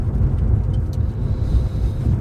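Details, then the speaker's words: Jaguar XK8 test drive after rear suspension work (both rear shock bushings, new anti-roll bar bushes, new drop links both sides): steady low road rumble and wind, smooth with no knocking; previous constant rear knock gone. "So it's going along lovely and smooth with no knocking."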